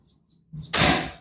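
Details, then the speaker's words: Predator PCP air rifle with erratic accuracy: a single sharp crack with a short fading hiss, shot loudness varying between reports; the hammer spring is suspected as the cause. "Coba saya tembak-tembakkan dulu ya suaranya beda teman-teman Saya tembak coba dengarkan"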